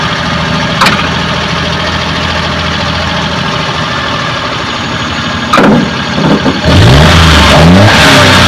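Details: Suzuki Multicab F6A carbureted engine that would not start, now running after carburetor overhaul and cleaning, float valve and distributor adjustment: steady, even idle that climbs smoothly on throttle and settles back cleanly, runs healthy.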